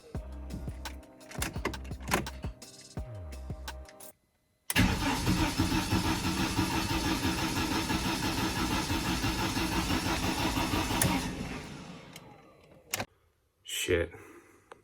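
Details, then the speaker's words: BMW E46 compact with N42/N46 engine logging codes P27C1, P2781 and P2782, in neutral, after cam sensors were swapped; even chug about three a second for six seconds without firing, crank no start, timing suspected out. "well that didn't help so now I have to go to the workshop get timing set and try to retime the engine which I hate to do but I just got to do it"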